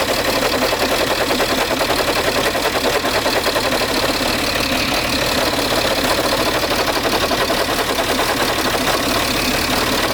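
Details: Peugeot 607 2.7 HDI diesel idling: a rough, gritty grinding runs steadily under the even diesel clatter; grinding from the engine bay, source unknown.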